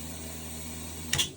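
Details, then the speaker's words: Infiniti G35 drift car being swapped to a BMW M54, new in-trunk fuel system: first fuel pump runs normally. The second pump causes a voltmeter voltage drop; owner will check wiring or whether that pump is dead. Quiet steady electric hum about a second, then a switch-off click. "ça marche bien par contre la deuxième ne marche pas donc là dès que j'active la deuxième je vois au voltmèt que ça me fait une une chute de tension"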